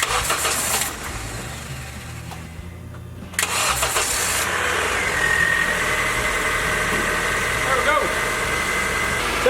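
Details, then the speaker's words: Honda Civic, first start after an engine replacement, fuel pressure built by cycling the key: brief crank, then it catches and settles into a steady, even idle with no ticking or puffing, no exhaust leaks despite missing plugs and no air filter; normal idle. "pretty good no exhaust leaks running really smooth even though we didn't put in these plugs but we will with an air filter"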